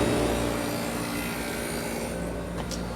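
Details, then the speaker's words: 1972 Quiet Kool 10,000 BTU window air conditioner with a Copeland compressor, started on the quiet setting: steady even roar over a low constant hum, no knocks or rattles, blowing cold; normal running. "Started on quiet. Well, they're quiet enough, but they're a little screamy on high though."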